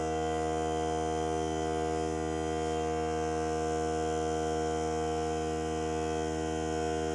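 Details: Hart cordless battery air compressor filling the tank: one steady, even motor drone, no knocks or rattles; three minutes to fill, cut-out at 120 psi; normal compressor run.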